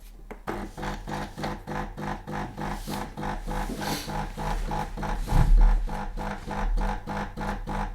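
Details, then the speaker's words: New DeLonghi La Specialista Opera EC9555 espresso machine, already warmed up after a couple of shots, pulling an espresso: steady low buzzing pulse about three times a second with a soft hum, quiet for a vibratory pump; normal pump operation. "I think you can hear right now, it's quite quiet. For a vibratory pump machine, it's quiet."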